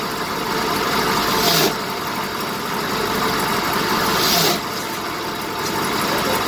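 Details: 1970 BMW 2002 running: two short rasping grinds rise and fade only as the clutch pedal is released, then it settles back to a steady idle. Clutch grinding on pedal release.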